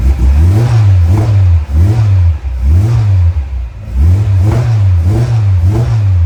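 Crisp, even blips with the revs climbing and dropping cleanly, about one per second, and no knocks or misses; a healthy, freshly built engine.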